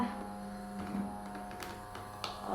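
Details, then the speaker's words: Electric fan that had hummed without spinning, now run on speeds 2 and 3 after its capacitor was replaced: a steady low hum with an even tone and no rattle or labouring, the motor running smoothly, so normal running. "Ternyata setelah kita ganti kapasitornya ini, ini berfungsi nih, Guys."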